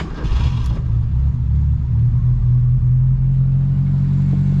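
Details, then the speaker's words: Abandoned 1972 Ford Pinto 4-speed running on fresh gas from an auxiliary tank catches and settles into a steady, even low idle rumble with no knocks or misses. "She's idling. Brakes are good."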